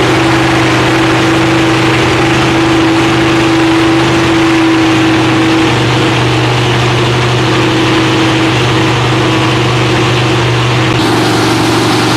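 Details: Freshly rebuilt Holden 308 V8 with roller cam, on a part chassis without body, first start after rebuild: loud, steady idle with low even rumble and faint hum, no knock or miss; running normally.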